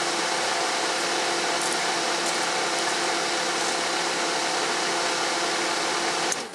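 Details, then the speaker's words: 1997 Toyota Corolla (Geo/Chevy Prizm) 1.6 L overheating in traffic; with the suspect part's connector unplugged, ignition on: steady, even whirring rush that cuts off at the end; cooling fan runs, showing that single part causes the fan failure. "okay so now I have the connector off and if that indeed is the part that's at fault then when I turn the ignition on the cooling fan should come on [Music] immediately and as you can hear it did"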